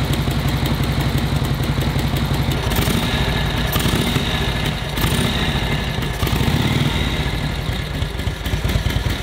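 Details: 1942 Harley-Davidson WLA V-twin, previous non-starter, after distributor and carb overhaul and timing set; steady even idle with regular loping beat, no misses or backfires, running cleanly; normal idle.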